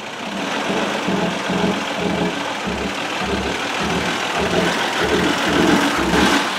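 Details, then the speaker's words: 2007 Honda Odyssey 3.5, towed in with no power, will barely come off idle: throttle opens but engine barely picks up, slow dull chuffing under the hood; suspected plugged exhaust or timing off. "you hear the throttle opening you hear a little hoofing going on under the hood that's it uh my gut which is getting bigger by the day tells me plugged exhaust or timing is way off is what i'm thinking"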